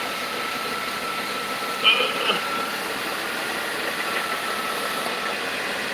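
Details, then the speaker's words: 2000 Dodge Caravan with overheating, engine bay at idle: steady airy hiss over a muffled idle with a brief clatter midway; owner believes the EGR valve is leaking, unconfirmed. "oh that's a hiss from the EV EGR the egb that we can hear that you can hear that right right that sucker is leaking"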